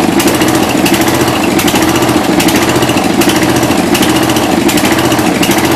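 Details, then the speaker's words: 1992 Yard King gear-drive lawn tractor, first start in about seven years, cold on choke: loud rattly single-cylinder clatter surging and stumbling roughly every second; cold engine running rough on choke. "let's try it again Philo shouldn't be all the way down oh this thing is going to be tricky ain't she yeah start choking it again there we go yeah she's cold"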